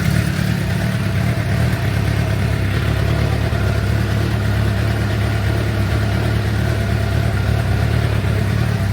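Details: 2006 Suzuki GSX-R750, over 5,000 km since last service, warming up before oil change, oil at 48 °C heading to 60: smooth, even low idle with steady burble, no ticking or misses; engine healthy.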